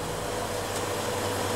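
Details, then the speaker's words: Homemade refrigerant recovery unit, evacuated first, starting to recover R410 from an air conditioner: steady, even compressor hum with no knocks. Discharge pressure rising, suction falling; the filter frosts from abrupt refrigerant inflow, not clogging. Running normally. "Lo pongo así para que vea si se escucha el ruido. El compresor. La presión está subiendo."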